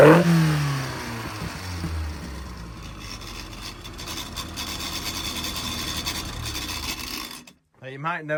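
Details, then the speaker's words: Engine after timing chain tensioner blade work, fired up and running: smooth, even, quiet, with a steady note and no clatter at low revs, even hot. Normal running. "I'm pretty confident that it's nice and quiet now. It's, you know, good patient this one. It's perfectly well behaved."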